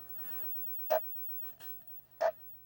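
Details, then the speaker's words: Atari Football 2-player arcade board on a UniROM PCB, first power-on after swapping in the 4-player ROM. A short chirp repeats about every 1.3 s over a quiet hiss as it loops instead of running. Self-test shows RAM/ROM errors; insufficient RAM is suspected. "it's looping. Alright, so it doesn't run as is."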